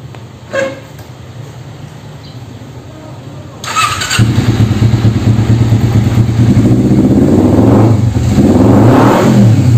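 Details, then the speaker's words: Kawasaki Ninja 250 before cam chain replacement: engine catches and revs, and a light rattle follows as the throttle is released; worn cam chain noise. "tadi abis gas terus gasnya dilepas ada suara yang butut"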